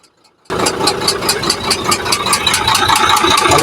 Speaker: ang Sira nga pala nito ay malakas na katok